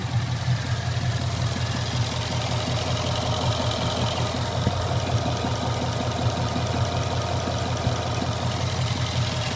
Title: Knocking noise on my mustang gt